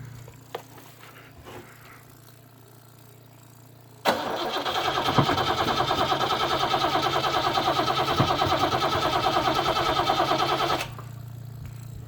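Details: TVR wedge V8 with newly fitted Facet red top fuel pump, fuel pressure at 4 psi: after a quiet pump hum the engine catches at once and settles into a steady even idle before shutting off; clean healthy start.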